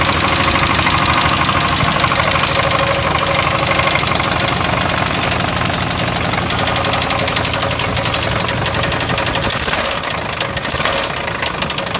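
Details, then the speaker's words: 1989 Chevy Caprice Classic V8 idling: dense fast knock over the running engine every time it is started; source not yet identified. "what's going on, but every time started, it's knocking."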